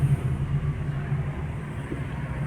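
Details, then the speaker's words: Prisma car rolling: a steady, low droning roar with a constant hum beneath it; a strong roar from a worn front wheel bearing. "esse carro ele tem um rolamento fazendo barulho na frente aqui tá tem que [Música] identificar roncado forte de"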